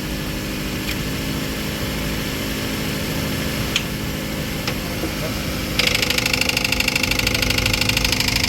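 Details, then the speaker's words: Toyota Avanza idle with a quick regular top-end ticking, about three per second, sharper later; source unknown, mechanic suspects the timing chain tensioner or the timing chain itself, possibly from lack of oil pressure; cause unconfirmed. "Yung ingay na yon, hindi natin alam kung saan nanggagaling. Pero meron na tayong suspect yan. Pwedeng tensioner, kung hindi tensioner po, timing chain."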